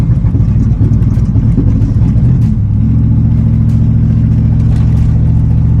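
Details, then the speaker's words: 1995 Chevy Impala SS driving at night just after the engine was washed: the engine stumbles and sputters for a few seconds, then smooths out. Ignition misfire from water in the Opti-Spark distributor; it idles fine but acts up at operating temperature. "And if you don't know what I'm talking about, here go a clip of me driving it at night when it started messing up on me after I had just cleaned the engine."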